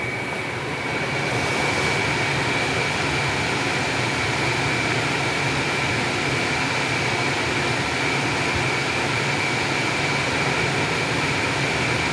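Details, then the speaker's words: Aftermarket ventilated seat cushion fans in Hyundai Aura CNG at speed 2, engine running, AC on with blower on setting 1: steady airy whir with faint thin whine over idle and blower; normal fan operation. "तो पर हमें इस तरह से noise मिल रहा है"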